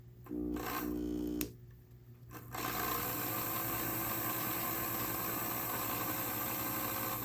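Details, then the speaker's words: Broken On30 scale model steam locomotive motor at 3/4 power, after separating two touching pickup wipers: the small motor whirs up to a steady, even hum with no binding but spins a little lazily. The plan is to dig out the old grease and add fresh grease and a little oil. "fine it's a a little bit lazy so I will try and dig out some of the old grease that's in there put in some fresh grease a little bit of oil"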